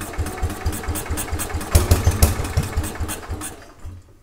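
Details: 1950s Agricat mini dozer, Briggs and Stratton model 23A after engine rebuild, coil and battery ignition, starter generator, second start idling to break in: quick fairly even single-cylinder putter with light rattle, then dies away; normal idle.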